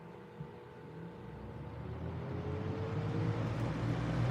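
Soft low hum with a faint tone rising slowly and evenly as the fan spins up on low; smooth with no rubbing or scraping.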